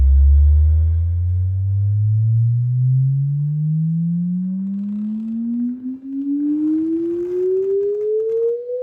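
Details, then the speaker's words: JBL L19 speaker, left 116a woofer, fed a signal generator sweep: the tone is rough and buzzy at about 100 Hz and below and cleans up as the pitch rises; the buzz comes from a loose lead wire. "So anyway, the left one up to when you get to about 100 hertz um 100 hertz and under it has this u this buzz"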